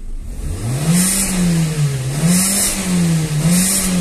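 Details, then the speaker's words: Renault with injection light on: three clean throttle blips, revs climb and drop smoothly with no misses or rattles, accelerator responds well on tachometer; healthy free revving. "o carro tá perfeito tá tudo legalzinho acelerar aqui para vocês aqui ó ó"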